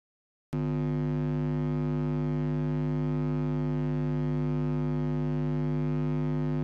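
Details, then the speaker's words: Guitar rig noise: a steady low mains hum with a raspy buzz on top. It comes from a large, poorly shielded transformer power supply radiating electromagnetic interference, and the hum varies with transformer size. "и жужжания обычно такой фон создают большие плохо экранированные трансформаторные блоки питания которые создают электромагнитное излучение зависимости от размера трансформатора гул может меняться"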